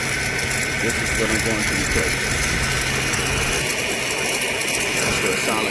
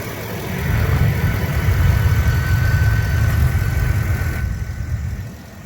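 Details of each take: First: 2009 Mercedes-Benz S550 4MATIC W221 at idle; a light chirping squeak rides steadily over the running engine, traced to a worn upper idler pulley that is then replaced. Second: 2009 Mercedes-Benz S550 4Matic W221 after replacing the chirping upper idler pulley: smooth even idle, low steady rumble, no squeak or chirp from the belt side; normal idle after repair.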